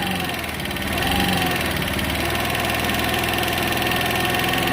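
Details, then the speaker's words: Small scooter-type engine with 1,179 miles, after a valve job, idling on a boosted battery: fast light top-end ticking, about three per second, over a busy idle. Checked with a stethoscope, it is judged normal for this engine model. "Oh, you hear the engine tick. It's just got ticking. I went through it with my stethoscope. It's normal. It's weirdly normal."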